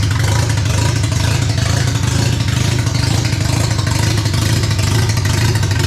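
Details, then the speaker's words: Barn-find RX7 12A rotary, sat for years, first run on its carb with an electric fuel pump (needle and seats suspected of flooding), revved on the stand: loud, smooth buzzing rev held steady with no misses or pops; revving cleanly. "guys what an absolute great feeling to see some rotary Flames uh be deafened by rotary noises and um yeah the shop smells like rotary fumes"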